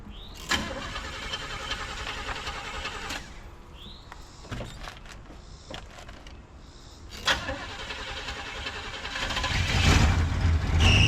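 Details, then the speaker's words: 1974 Chevrolet C10 with a freshly replaced starter, carburetor primed by hand: the starter cranks in bursts and the engine catches briefly on the prime, then dies. Fuel starvation, confirmed the tank had run out of gas. "I ran it out of gas. We'll fill it up and then go get more gas."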